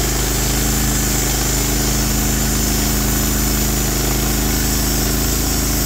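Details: Norwood HD36 v2 bandsaw mill with new roller guides replacing ceramics, cutting big black oak: steady engine drone at even pitch under load, no chatter, squeal or hunting; cut exceptionally smooth, normal cutting.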